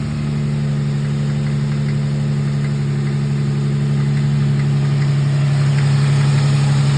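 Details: Nissan G35 cold idle: steady low drone with faint regular tapping around three per second; owner unsure whether it is a cold-start knock, rod knock or piston slap.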